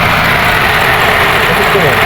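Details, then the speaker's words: VAZ 2114 with radiator fan that had not worked, after new sensor and connector; fault traced to a wire: loud, steady rushing whoosh over idling engine, constant and even; cooling fan now running properly. "Вентилятор жұмыс жасады. Причина мына проводтан. Вентилятор жасады."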